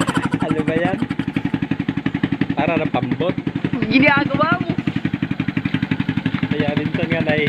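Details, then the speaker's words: Motorcycle with rusted-through hole at the very bottom of the muffler, before fitting a second-hand replacement: loud, raspy, uneven exhaust popping at idle, much harsher than stock; holed muffler letting exhaust blare out. "Ano kasi yan mga Katotski, butas na yung pag ito sa tabutso dito pinakailalim."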